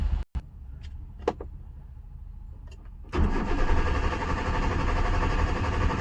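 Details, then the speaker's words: Hyundai Santro, fuel and battery OK, corroded fuel-pump coupler with broken pin bypassed with a wire, fuel line disconnected: a few clicks then steady cranking that never fires; no fuel delivered, fuel pump motor failed. "Car मैं crank कर रहा हूं लेकिन start नहीं हो रही है।"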